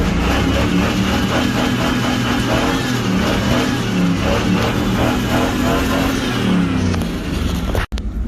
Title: ok gave that pickup hell till it needs a headgasket!!! o yea now it has a rod knock too (4)